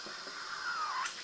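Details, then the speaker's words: Breville espresso machine after steaming milk to about 160°F: short soft hiss with a faint wavering whistle, then a quick puff as the solenoid vents leftover steam pressure into the drip tray; normal purge. "And you see that heat is going to get released into the, the solenoid releases that into the drip tray. And I'm just cleaning the steam arm there."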